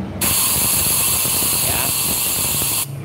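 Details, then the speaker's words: Yamaha Force motorcycle engine, valve leak test through the exhaust port: a steady hiss of air rushing out, then it stops; severe leak because carbon deposit keeps the valve from sealing. "Kita kasih ini dulu bocor apa enggak bocornya parah Pak ini harusnya ini kan dari lobang knalpot Pak di sini nggak boleh merobos gini ini bocor parah Pak tuh"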